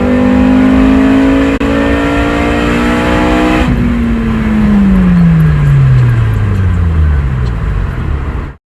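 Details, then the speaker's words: 8th-gen car running after the cylinder 2 injector was swapped for a junkyard injector. The misfire is fixed, with an even steady note and no stumble; owner suspects it is still running lean. "so i ran to the junkyard swapped in another injector and a misfire was fixed"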